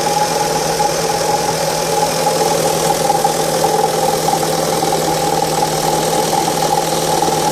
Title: Strange engine noise during cold start (1.8 Fiat Stilo Petrol)